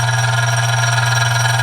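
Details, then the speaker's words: Loud, steady low buzz from a Dillon RF 100 auto primer feeder after tightening, as a spring vibrates against the housing. "You can tell that's a little bit more, it vibrates a little louder now. And that noise that you hear is a spring vibrating against the,"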